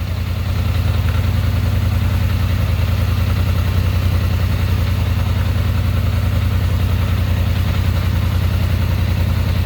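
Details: 2021 Polaris Sportsman 850 after correct throttle linkage adjustment: low steady idle holding the same pace without hunting or rising, no check engine light or diagnostic code.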